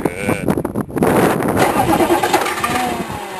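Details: K3500 diesel truck, cold crank with new starter, glow plugs waited: slow, labouring crank with uneven chugging, reluctant to fire; starter reportedly not disengaging, owner suspects starter, glow plugs or cocked flywheel, unconfirmed.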